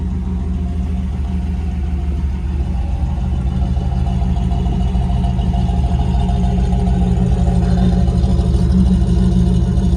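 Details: Rebuilt 1987 Pontiac Firebird Formula 350/383 stroker, after mass airflow sensor and timing were fixed and rockers lashed: steady, even V8 idle with a deep, smooth lope and no misses. Healthy.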